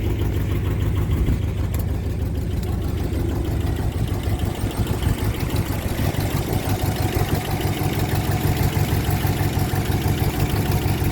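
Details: 1966 Ford Galaxie 500 LTD with a tired 360 V8 (originally a 289 car), lots of blow-by and oil burning: lumpy idle with a light quick ticking about three a second on top, pointing to a noisy lifter.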